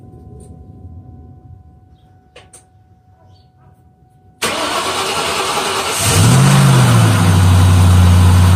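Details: 2003 Ford Mustang SVT Cobra V8 after 4 months of winter storage, dead battery replaced with new Motorcraft BXT-59: quiet, then brisk crank catches at once, revs flare and settle into smooth, steady idle; normal healthy start.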